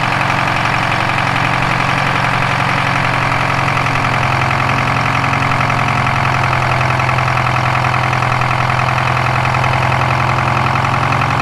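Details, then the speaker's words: Detroit 4-53TIB two-stroke diesel idling after a turbo swap from a Garrett T04E .96 A/R to a .81 A/R housing, exhaust clamp torqued, checking for leaks: a loud, steady, even drone with no misses, knocks or exhaust-joint hiss, turbo more audible, smoke haze reduced. "but it sure sounds nice you can hear a bit of the turbo more now yeah that's pretty nice"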